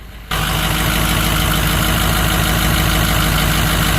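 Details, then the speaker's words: 2006 Ford 6.0L Powerstroke diesel outside after refuelling: heavy clatter with uneven lumpy beat as rpm flickers and dips; gauge shows zero fuel pressure, so failed fuel lift pump suspected pending a power check, engine sucking fuel from tank. "Then all of a sudden I felt it kind of flicker and just kind of kick down and pick back up, and the engine RPMs were changing."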